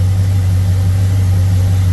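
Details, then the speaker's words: Thunderbird with 302 and Motorcraft 2150 carburetor, restarted after sitting following float adjustments for hot-start flooding; fires right up into a low smooth steady idle rumble at constant speed, no stumbling or loading up; runs cleanly and normally. "It should just fire right up like normal. Here we go. Hey, how about that? Man, that's how it should go."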